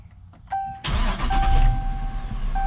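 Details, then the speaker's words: 2018 AWD police Dodge Charger after JDi Ghost Lock GPS tracking/fuel pump disable install, fuel pump re-enabled and primed: starter whirs briefly, engine catches cleanly and settles into steady, even idle; normal start. "All right, perfect. Beautiful. So, it is doing exactly what it should be doing at this point."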